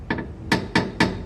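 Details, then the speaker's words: Chery Cielo right suspension, metal-on-metal noise heard from inside the car: sharp hollow clunks every quarter to half second as suspension is worked; loose stabilizer bar bushing on the right side only, bushing to be replaced. "sabe o que é é a busca do estabilizador trazer um quilo chega até frouxo que acontece com esse item que no meu caso aqui é só esse lado que o lado direito"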